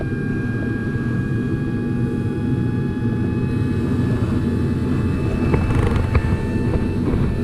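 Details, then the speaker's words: Carrier Infinity propane backup furnace, call for gas heat: steady fan roar with high whine climbing and holding far above normal, inducer ramping trying to close pressure switch; flash code 32, birds blocking flue pipe. "that thing's ramping way higher than they usually do I think one of these pressure switches are not closing 32 flash code that's pressure switch Yeah that's ramping way too high it ramps up like that because it's trying to close that switch"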